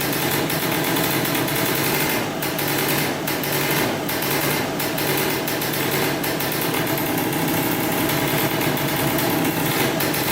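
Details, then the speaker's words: 2003 Polaris Sportsman 90cc ATV two-stroke after a new top end and oil pump, on 40:1 premix for break-in: starts right up into a crisp, steady idle with an even, crackly beat and no stumbling; running healthy. "she runs that's good we have to make sure now the pump is working and uh we should be good to go yeah started right up"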